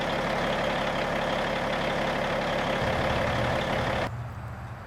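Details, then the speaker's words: 1995 Western Star with Cat 3406E diesel, before exhaust replacement, idling with holes in the old exhaust: raspy, uneven idle with puffing rattle, louder, not a smooth low rumble; exhaust leaking through holed pipes. "here's what the truck like sounds like currently with the holes in the exhaust like it's not bad it's louder than without any hold but it's not a you know it's not a smooth low rumble um you can tell it just sounds a little off"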